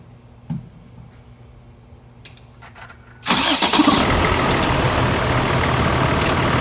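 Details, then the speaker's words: 2016 bus with 6.7 Cummins, driver reports a belt squeal that won't stop: quiet until it fires, then a constant shrill squeal over the idle; slipping serpentine belt from a weak tensioner, fixed by replacing the tensioner. "well driver says that the belt is squealing it doesn't want to stop so let me go ahead and turn this sucker on so you guys can hear this"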